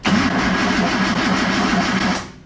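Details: Datsun 240Z engine cranking after fresh oil fill while building oil pressure: two seconds of brisk, evenly paced cranking with matching compression strokes; sounds nice and even, healthy.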